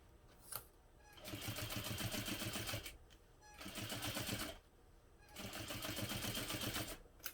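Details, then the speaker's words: Sewing machine top-stitching vinyl at longer stitch length: fast even stitching chatter in bursts with motor speeding and stopping and a faint squeak; the presser foot squeaks despite recent oiling. "Do you hear how squeaky my presser foot is? I oiled it not that long ago as I was editing the last videos for the Fun Bobby backpack,"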